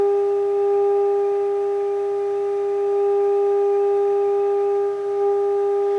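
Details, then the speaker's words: 1963 Motorola AT25BN radio, signal generator test tone at 10 millivolts: steady pure tone around 400 Hz, clean with no whine or static, unlike at 500 microvolts. "so I'm gonna go way down to amplitude and millions there that's clear 10 millivolts"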